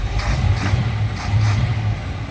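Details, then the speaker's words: 1964 Impala V8 with new Edelbrock 600 cfm 1406 carburetor, warmed up after timing adjustment: deep rumble with crisp throttle blips that rise and settle cleanly, no stumble or bog; normal throttle response. "Okay, there we go. That's what we want. Yeah, that runs good. Throttle responses."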